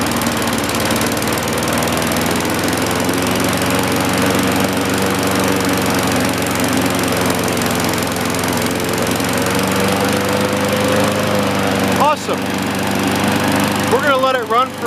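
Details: 1960-70s John Deere push mower saved from scrap, just started before an oil change: even, steady engine note held several seconds with no misses or surging, handling noise near the end; runs healthy.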